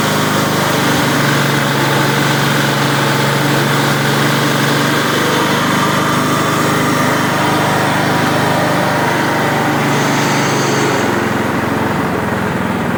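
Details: Toro Super Recycler mower, sat outside for years, after primer bulb replacement: small single-cylinder running steady and even with no misses or knocks; healthy.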